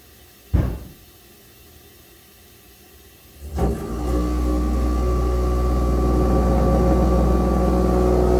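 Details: Basement bathroom toilet in an older house with some galvanized plumbing: the flush click is followed by a loud steady roar with a low droning hum building up from the wall, like a plane taking off; the plumber says it may be normal.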